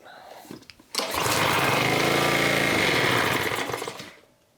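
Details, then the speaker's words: Honda pressure washer (has ACR) that sat two years with old gas, after carburetor work and gasket refit, choke on: small engine fires and holds steady, even, rattle-free speed for a few seconds; normal running, fuel problem fixed. "All right, guys. Just saw it run. That's awesome. So, yeah, we knew it was a carburetor issue, fuel problem, because that gas had been sitting in there for so long."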